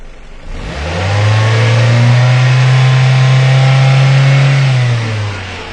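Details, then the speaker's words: 2002 Ford Focus Zetec with rough idle and 14% long-term fuel trim at idle: a quick throttle blip responds well, then drops into an uneven, labouring, struggling idle; rough idle from burnt exhaust valve. "going to Goose the throttle a little bit and it seems to respond real well but boy then it it just now it's really struggling after coming on the dell and the engine is just not happy right now"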